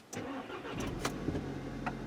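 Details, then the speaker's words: 2013 VW GTI 2.0L turbo GDI, checked for an intermittent extended first crank with no codes stored: brief crank, then it catches almost at once into a steady idle; rail pressure reads 40, matching the specified 40. "no started right up so our specified 40 rail pressure is at 40"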